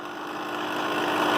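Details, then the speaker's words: Vintage 8mm film projector: motor sounds fine alone, but drive makes coarse gritty grinding that grows louder, tight mechanism; cause not yet found, clutch mechanism unclear. "is not so good at all that is pretty horrible"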